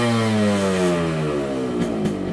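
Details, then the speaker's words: Yamaha RX100 97 cc two-stroke single revved while parked: crisp even buzz dropping smoothly as revs fall, no knocks or rattles, sounding just like an RX King; healthy engine, power comes above 6000 rpm. "Dan suaranya tuh mirip banget sama RX King. RX King banget ya, persis banget sama RX King."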